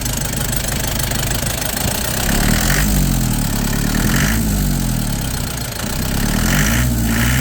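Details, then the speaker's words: Nissan Big M BD25 diesel, after not all cylinders were firing and injectors checked, fuel system bled, fresh oil and coolant in a rusty block: steady diesel clatter at idle, even firing, no misses; normal idle. "แล้วะเครื่องเดินดีเลยไปดูท่อกัน"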